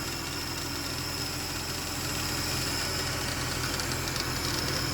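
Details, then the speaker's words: 2010 Ford BF Falcon wagon restarted after replacing the water pump and thermostat and topping up coolant. Steady idle with a faint loose clatter about three per second, seemed to settle. Clanky engine noise. "We've still got a bit of a noise."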